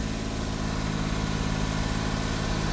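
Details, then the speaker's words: Low-mileage Suzuki Carry kei truck with original exhaust, just bought: starts in a split second, steady even idle with no misses, knocks, rattles or smoke; a healthy motor. "it's a healthy [Music] motor that's the sound of a healthy motor no smoke nothing"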